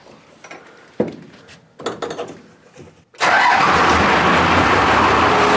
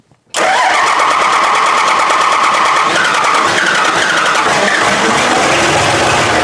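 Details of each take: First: Diesel truck build, first start for its maiden drive after the fuel system was bled and the filter bleeder closed: a few clunks, then it catches at once and settles into a steady, even diesel clatter, running healthy. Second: Diesel truck build, first start after fitting fan, shroud, radiator: catches but runs lumpy and uneven even with plenty of throttle, putters out like running on two or three cylinders.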